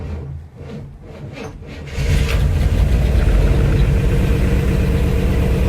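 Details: 1964 Chevy Impala after repair of crank-no-start fault: a couple of seconds of cranking, then catches and settles into smooth, steady low idle; normal start and idle.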